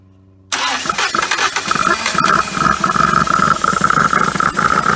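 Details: 1980 Dodge Colt Challenger (Mitsubishi Galant), four-cylinder, sat 20 years, running after vacuum advance and solenoid hooked up: uneven, lumpy beat with thin whistle; rough running, rust and some milky residue under valve cover, overfilled oil, water got in.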